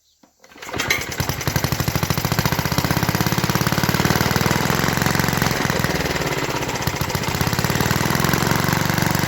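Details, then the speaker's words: 1952 Clinton VS-700 mower engine: single cylinder chugs evenly for a few seconds on primed fuel only; it isn't pulling fuel from the tank, and a clogged fuel line was later found. "no for some reason she ain't pulling fuel so we'll have to see what's going on there but uh she does run"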